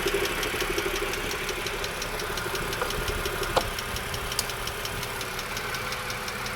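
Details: 2007 BMW E60 LCI with N52K engine at idle: quick even light ticking following engine speed, suspected valve lifter tick; it largely went away after switching from Shell 5W40 to Castrol 0W30/5W30 oil.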